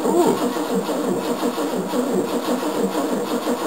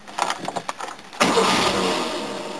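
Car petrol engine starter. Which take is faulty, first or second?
first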